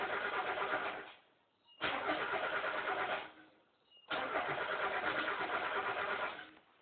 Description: miata turns over but wont fire up...